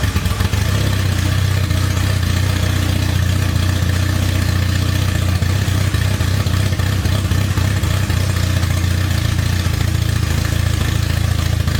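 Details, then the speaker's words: Acura Integra DC2 project car with the intake not hooked up. Steady low idle with an uneven, loose throb and faint clatter; rough idle from multiple vacuum leaks, engine otherwise healthy. "doesn't idle right because there's just a lot of stuff going on you know the lot of vacuum leaks one here one there the intake is not hooked up there's another vacuum leak there"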